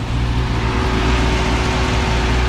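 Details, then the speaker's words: Junkyard electric radiator fan on a Holley Terminator X car just pulled in after a drive, engine idling: thin steady zinging whine over low idle rumble; only one fan working, the other not running. "let's see this guy's on nope not even on so that's good that means it's staying pretty cool this guy however you can hear this fan zinging"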